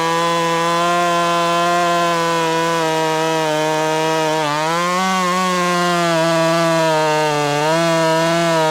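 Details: Ported Husqvarna T540 Mark III top-handle chainsaw on its third tank, not fully broken in, warmed up, chain quickly filed: strong steady high revs dipping briefly into the cut and recovering; cuts cleanly.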